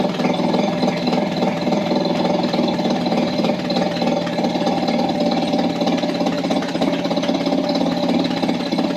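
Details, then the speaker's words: Mercury 3.3hp two-stroke outboard, stood for months, idling in neutral in a water bucket while running out of fuel: fast, even, buzzy putter at steady speed, no misses or knocks; healthy engine. "that's one healthy little engine so i'm surprised that went that well to be frank that that's brilliant"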